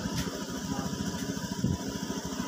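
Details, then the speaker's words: Honda Scoopy scooter with MIL on, after fitting the O2 sensor, held at 1600 rpm, warmed to about 64–68°C: quick even low putter, no misses or stumbles; air-fuel ratio now fluctuating around 14.7, everything normal. "oke sekarang udah normal semua untuk RPM 1600 sekarang temperatur sudah jalan normal"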